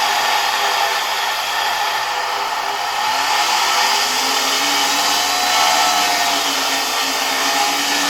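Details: Zelmer 01A vacuum cleaner from 1973 with a type 34 commutator suction unit: high steady motor whine with a rough scraping hiss; owner suspects the turbine rubbing its housing rather than the motor bearings.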